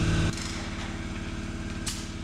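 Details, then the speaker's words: Large shop air compressor heard with its room closed: low, muffled, even drone with steady pulse, no knocks or rattles; running normally. "You can still hear it, you still know it's running, but at least you can hear the conversation in the room. There's still a low drone, but that deadens a lot, muffles a lot of the sound, so it's not so bad."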